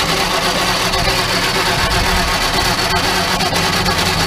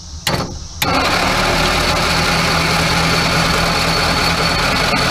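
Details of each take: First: Crosley car with under 30K miles, stored in a barn since the early 70s, plugs back in, water and oil added, spark restored, a little fuel added: slow uneven cranking with scattered sputters and pops that never catch to idle; cranks and sputters but won't keep running. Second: Crosley car, barn-stored 40+ years, under 30K miles, 6-volt system, first crank: slow, steady crank with even beats and no catches or scrapes; compression sounds healthy and equal.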